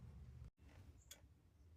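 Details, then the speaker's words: Faint, evenly spaced clicks from behind the dashboard of a 38-year-old project car: the hazard flasher relay clicking normally; hazards still work with the suspected blinker relay unplugged, and it's unclear whether it's the same relay as the blinker relay. "Also, I can hear the hazard flasher relay clicking over here somewhere behind the dashboard. I'm not sure if that's the same one as the blinker relay or not."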